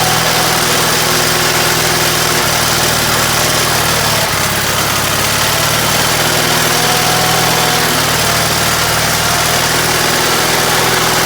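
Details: Case 446 "Big Wheel" lawn tractor twin, barn-stored several years, after removing carburetor air-filter screws that fell in and held valves open: steady, even beat at constant speed, no misses or knocks; normal running.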